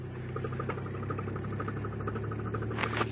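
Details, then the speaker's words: Rapid, even clicking over a low engine hum while turning, from the worn right-side CV axle joint; also clicks when letting off the gas or shifting. "now uh that's a Telltale easy sign that if you have a bad CV axles you'll hear it clicking on the side that's bad and my right side is shot so that's why you're hearing the clicking"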